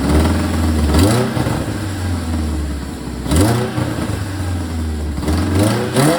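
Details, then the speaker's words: Supercharged Toyota MR2 Spyder with new custom exhaust: raspy puffing and chuffing on each rev from a big exhaust leak at the header, fitted without a gasket, plus a small V-band leak. "All right, guys, as you could probably tell by that sound clip, a lot of exhaust leaks. I don't have a gasket for the header yet."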